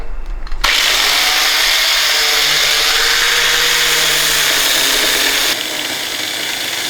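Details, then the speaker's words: About 10-year-old Rockwell angle grinder on its last legs: loud, harsh whirring at constant speed with a rough, uneven edge; noisy, worn grinder. "I think I killed the grinder this is our yield trusty grounder it is a Rockwell from what 10 years ago yeah it's uh I think it's on its last legs it's very very last legs"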